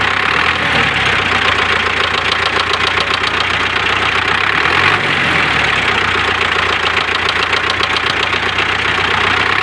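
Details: MTZ tractor, D-243 diesel engine at idle: a sharp metallic knock riding on every few firings; a new knock whose source is not identified.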